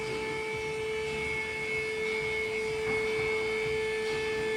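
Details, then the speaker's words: VW Tiguan electric parking brake applied via diagnostic tool after fitting new rear pads: steady, fairly loud motor whine holding even pitch for several seconds as caliper motors drive pads in; operating normally. "will hear the ramps going up and down as well. It's quite loud."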